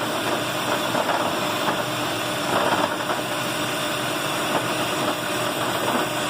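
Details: 2008 Lexus RX 400h in P, warm idle after stopping, also in D at lights: a fine, fast metallic rattle over the engine hum until the engine stops by itself; began after a spark plug change; cause unclear.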